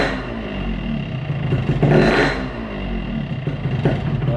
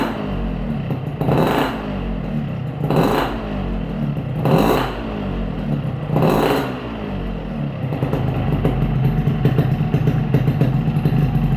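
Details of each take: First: Yamaha RX-King two-stroke with a worn piston, before switching to a Riko piston: idle is normal, but as the throttle closes a loose dry rattle comes from the block. Piston slap on deceleration. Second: Yamaha RX-King two-stroke after replacing noisy piston with a Riko piston (0.2 different from NPP): four throttle blips then even, smooth idle, no clatter from the engine block.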